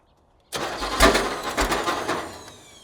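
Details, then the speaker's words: Ford Pinto wagon cranking after timing set to 13 initial, 33 total and then retarded; starter spins the engine over fast and light with no firing; a plug wire had come off. "Well, that's Spins over so fast. What? It spins over so fast."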